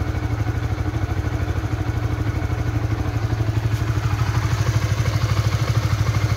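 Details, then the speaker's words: Honda 150 cc single-cylinder motorcycle idling after a 3 to 5 minute warm-up on new synthetic-based extended-interval oil; steady even idle with regular firing pulses and no knocks; smoother than the previous Shell Advance oil at 1700 km. "suaranya lebih halus ya Dari kemarin waktu pakai sel Advance di 1700 km"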